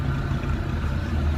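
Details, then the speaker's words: Maruti Eeco after a complete engine rebuild: a steady, even, low exhaust drone at slow speed with no popping, missing beats or knocks. Normal exhaust note. "તો કોઈ જાતનો sound નથી કોઈ જાતનું મિસફાયરિંગ નથી. એક number ગાડીનું engine કામ થયું છે."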